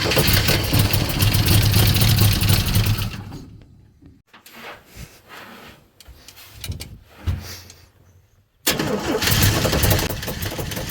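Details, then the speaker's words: Freshly rebuilt Chevy 250 inline-six, first starts: steady cranking about four beats a second, a stumble and drop-off, then catches rough; hard starting from finicky ignition timing, distributor seemingly faulty, original refitted. "So, the timing was pretty finicky. I just had to work that out."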